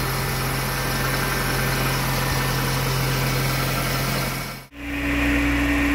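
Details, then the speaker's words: VW AP 1.6 G3 Flex engine on ethanol, fully warm with the radiator fan on after a cold-morning start, idling evenly with no lifter ticking. "galera o carro já tá quente já ligou o ventoinha umas pardas"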